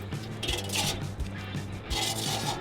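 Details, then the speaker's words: Roof ventilation turbine with hail dents in its soft metal: scraping squeaks recurring about twice a second as it spins, the impacts having knocked the turbine out of line. "it's caused the turbine to kind of get out of line and causes that squeaking that you hear it's a pretty good indicator and it tells you about what size the hell was that impacted this area"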